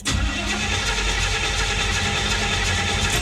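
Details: 1984 Chevy Monte Carlo that arrived not running: even, steady starter cranking that keeps turning over without catching; fuel isn't reaching the carburetor bowl. No-start from fuel starvation.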